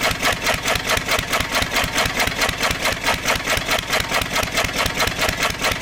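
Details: 1927 IHC M engine, restored 20 years ago and unrun for 19 years, running only on starting-bowl fuel. Fuel starvation from a failed AC Delco fuel pump diaphragm, owner believes caused by old ethanol fuel, needs replacing. Even, regular chuffing beat, around two per second.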